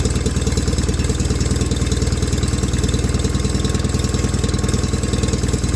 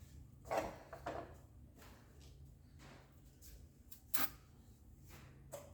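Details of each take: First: 1989 John Deere 420 garden tractor after fitting a new electric fuel pump; steady even thumping at about two hundred beats a minute with no misses, idling normally. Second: 1989 John Deere 420 garden tractor, fuel pump lines swapped, helped with starting fluid; two loud cranking bursts that catch briefly and die, fuel pump bad and not delivering fuel.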